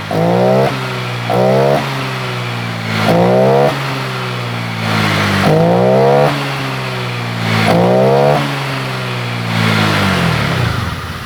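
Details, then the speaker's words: Honda Vario 125 LED scooter with a heavy, unresponsive throttle at initial opening: quick throttle blips rise and fall back. Response improves when fuel is sprayed in through the air filter, pointing to fuel starvation from the fuel pump or injector. "saya tarik tuas gas seperti ini responnya terasa berat banget responsifnya habis"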